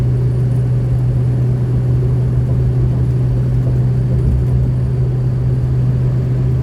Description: 2003 F350 6.0 powerestroke problem found lh Y pipe to Turbo V clamp replaced no more Exhaust leak running strong no more over boosting or loss of power